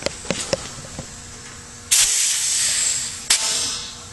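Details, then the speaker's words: Homemade 30-gallon shop air compressor, 2hp motor with used pump, around 90–100 psi at shutoff: two sharp bursts of high air hiss as the unloader relief bleeds piston head pressure so the motor restarts easier. Normal. "What that does is, instead of having 100 pounds for this piston to kick off on, it releases the pressure."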